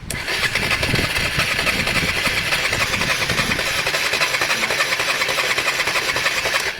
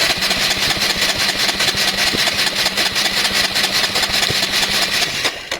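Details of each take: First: Honda Varadero 125 at its first start attempt, no fuel added yet; starter turns the engine with evenly spaced, equally strong pulses, about three per second; normal, healthy cylinder compression. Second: Honda Varadero 125 first start attempt: steady starter cranking at about two and a half turns per second, never fires; plug shows no spark, cause unknown, possibly wiring, stator, regulator, plug lead or plug.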